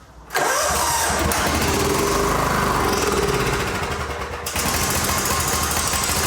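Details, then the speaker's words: John Deere GT225 lawn tractor with the throttle linkage reattached: catches at once and settles to a steady, even run with no misses. Runs pretty good; the battery light is on, possibly from heavy cranking or not charging. "All right, it runs pretty good."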